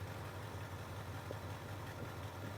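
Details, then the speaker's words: 1979 Ford F150 with cheap Chinese carburetor and electric choke replacing manual choke, just started: low, even burble at idle, steady rhythm, a squeal noted, no stumbles; running pretty well with little tweaking. "Not bad. Right there, it sounds real good. That sounds good. Running pretty well, actually."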